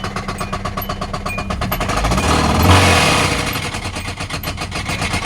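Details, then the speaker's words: Hyundai Elantra ruined by a skipped oil change, now restarted: at idle a steady heavy knock about three beats a second swells with revs, the bottom end sounding worn out; motor considered gone, exact cause unconfirmed. "This thing knocking at the light. Knocking at the light. So yeah, I'm sure don't know exactly what's wrong under there, but yeah, the motor is definitely gone."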